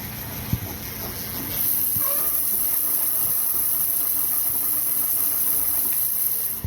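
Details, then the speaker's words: Super73-Z1 e-bike hub motor: a thin, high hiss appears only under throttle and cuts off on release. Suspected, after talking with Super73, to be a worn freewheel. "so the first problem i had was there's this hissing noise this this weird hissing it's only when i hit the throttle"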